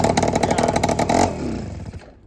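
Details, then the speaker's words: Honda Express 2 scooter, 60cc big bore two-stroke, after tuning, restarted after sitting a couple of hours: catches at once on the first kick with rapid buzzing firing, then settles; clean, easy start, massive improvement. "yeah, first kick? Are you kidding me? That's a massive improvement. That is a massive improvement."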